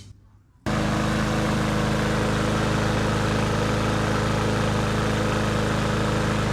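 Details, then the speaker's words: Cub Cadet push mower that had run slowly, sputtered and blew black smoke, auto-choke fixed for free, possibly after incorrect reassembly; air filter removed: fires instantly and settles into a smooth, steady drone with no sputter or hunting; choke opening properly. "just to prove that our choke system is working properly going to take off this air filter assembly and right now it's closed and I'm going to fire it up and then let you see that it did open up"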